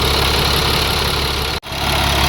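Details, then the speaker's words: International 4400 DT466 diesel after replacing a damaged O-ring with a used one to cure surging idle: steady, even idle with constant low rumble that no longer dips, making good air pressure; normal idle. "So far so good. It hasn't dipped. It's making good air pressure."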